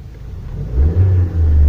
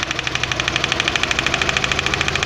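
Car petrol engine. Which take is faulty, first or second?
second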